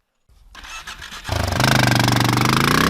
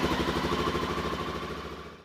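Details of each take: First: Honda XR650L after standing 2–3 weeks: the starter cranks the single at a steady, pulsing rhythm for several seconds, but the engine never catches, a cranking no-start caused by a no-spark condition. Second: Honda XR650L single-cylinder motorcycle that cranked without starting (no spark) after standing three weeks; after cleaning battery and wiring terminals (12.6 V), it fired right up and runs with an even, healthy thump before cutting off.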